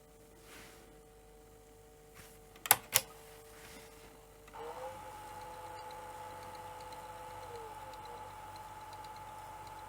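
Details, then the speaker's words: Sony SL-F30 Betamax (1984), upper drum motor: faint steady whine sags in pitch as head speed drops right down in play, then picks up on play-pause; drum motor slowing, cause not yet confirmed. "oh but it's it's dropping the speed is dropping right down and then it picks up again when it goes back to play pause"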